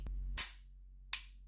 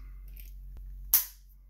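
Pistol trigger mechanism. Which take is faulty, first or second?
first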